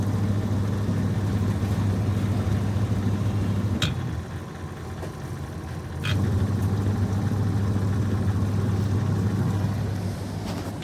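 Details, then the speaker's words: Denpoo twin-tub washing machine after repairing a seized, broken motor (dinamo), spin dryer test: steady low hum and even drum rumble, dropping when the lid is opened (door switch) and resuming when closed; spinning normally. "Ya, jalan ya teman-teman ya. Jalan ya. Nah, tutup baru dia jalan lagi ya teman-teman ya."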